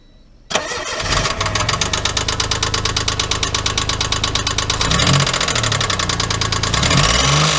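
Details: '97 Geo Metro 1.0 L, spun rod bearing after an oil leak: after start-up a steady, deep knock follows the idle, about three per second, heavier when revved.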